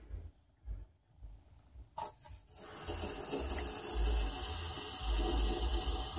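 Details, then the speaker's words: 2008 Toyota Prius during brake bleed, accumulator being repressurized; a few soft knocks, then steady high hissing whine as the pump runs on; brake accumulator pump running noise, owner suspects air in a check valve. "I let it run for a while I'm gonna let the accumulator repressurize and do this again"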